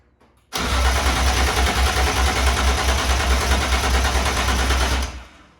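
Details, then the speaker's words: BMW E36 with swapped S54 engine, first start attempt with fuel pump and fuse in: starter spins the engine at a steady even churn for about four seconds, never catches; cranks but won't fire, throttle bodies unpowered. "Yesterday didn't go as planned, unfortunately. Car was cranking fine, never cranked over and started."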